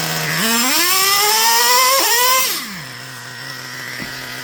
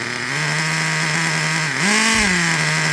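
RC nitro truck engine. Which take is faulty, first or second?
second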